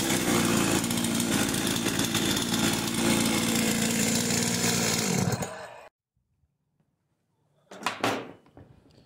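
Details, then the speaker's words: Husqvarna 51 two-stroke chainsaw after installing a new piston ring, which raised compression from 140 to 150 psi: crisp, even high-revving snarl holds steady without stumbling, then shuts off cleanly. Running strong. "Right, she sounds good. Plenty of power. Went from 140 pounds of compression to 150 just by changing a ring."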